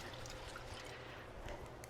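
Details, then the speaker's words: 2025 Chevy Silverado 2500 HD, about 4,200 miles, brand new rear shock worked by hand: soft liquid swish and trickle of fluid moving inside; owner questions the damper, unconfirmed. "And this is a brand new shock right here. Y'all hear that? You hear the fluid in there?"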